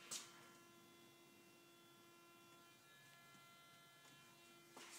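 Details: 2010 Toyota Tundra: steady, thin hum with several high tones holding even throughout; source of the hum unclear.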